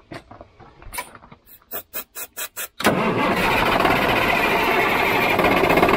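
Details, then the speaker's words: Old diesel semi truck after running out of fuel and sucking air, filter primed by hand, no fuel primer: quick cranking bursts about three or four a second, then it catches and settles into a steady roar as air purges. "this old truck ain't got no fuel primer where you can prime it up cause you got to you just gotta crank it till it cranks"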